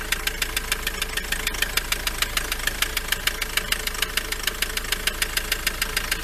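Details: Ford Transit engine at idle with the serpentine belt removed: a sharp, even knock a bit over twice a second persists, so it comes from inside the engine.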